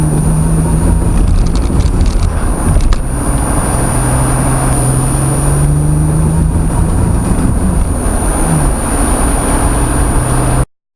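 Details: L36 Grand Prix (GP) misfire under acceleration, some runs with a BOV and some without; wavering, uneven drone under load with brief stumbles; cause not identified.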